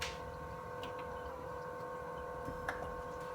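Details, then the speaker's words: Maxspect Gyre 230 wave pump at 70% constant mode on a Red Sea Reefer 250 tank: steady, loud multi-pitch hum over a low rumble, while the Ecotech MP40 running at 60–70% is silent. "And I'm sure you can hear the humming over me speaking, but the noise that is coming from this gyre pump is, like I said, pretty substantial."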